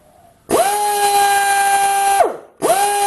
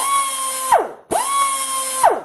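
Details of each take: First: Air grinder on a 7.5 CFM compressor, fed through a cheap AR-2000 air regulator: two bursts of a steady but modest whine. It runs at about two-thirds of its normal speed. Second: Air grinder on a 7.5 CFM compressor with the cheap AR-2000 regulator bypassed, air hooked up directly: two bursts of a high, steady whine that sweep down on release. It spins at full speed, maybe 50% faster than through the regulator.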